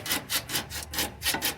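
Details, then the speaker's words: 2007 Honda New Civic (8th gen), front right suspension, arm worked by hand: quick rhythmic dry creaks from the lower control arm's rear bushing, not the strut mount. "O que está fazendo o rangido é a bandeja, que ficou bem claro, ó. Aquela bucha traseira ali, ó,"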